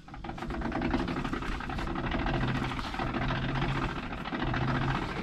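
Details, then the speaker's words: Ford PX Ranger, about 118,000 km, in park with a wheel turned by hand: slow irregular clunking and rumbling driveline racket, not a clean spin; rear diff lock found engaged from damaged actuator wires. "I really didn't expect to hear this racket I thought the noise was coming from the front diff clearly there's something wrong here"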